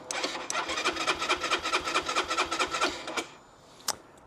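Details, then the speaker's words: Keeway RKR 125 four-stroke, 6,430 miles, bought sight unseen, push-button start: starter churns at a steady quick beat for about three seconds but the engine never catches, fuel pump and relays heard; owner suspects a bad battery. "so I can hear the fuel pump running so we're getting the fuel pump running getting relays clicking"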